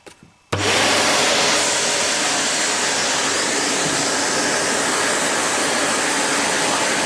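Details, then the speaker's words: Morphy Richards 73415 (Shark Navigator Pro) lift-away vacuum, new, hose with turbo nozzle, end blocked: steady high motor roar with rushing airy hiss and no labouring; suction relief valve bleeding air to prevent overheating, working normally. "Quite powerful, but when you block the end, you can hear there's a suction relief valve that comes into play that introduces air into the system so it won't overheat."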